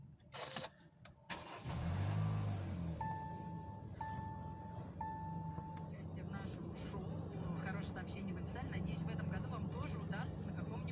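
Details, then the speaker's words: Hyundai i40 2.0 L 4GNA after full engine overhaul for piston knock and oil consumption, first start: catches quickly into an even, steady idle with no knocks or ticks, chime beeps three times; healthy. "Смотрите, с ним нормально. Не стучит, не гремит."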